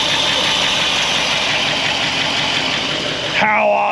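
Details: 1964 Buick Electra 225, fire-damaged, just started after revival: loud, raspy, hissing idle with a sharp edge over the engine beat; exhaust leak from holes in the pipes.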